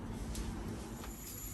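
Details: Hitachi air-to-water heat pump circulator, restarted for winter after being unstuck by tapping its shaft through the removed metal screw: quiet, steady low hum, no grinding, rattle or stalling; circulator spinning freely, running normally.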